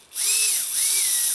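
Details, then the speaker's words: Micro ducted fan (EDF) spun up on a servo tester on the bench before balancing: high whine rising and falling with a raspy, rattly edge and shaking felt by hand; unbalanced fan vibration. "I can feel it shaking right you can feel the vibration"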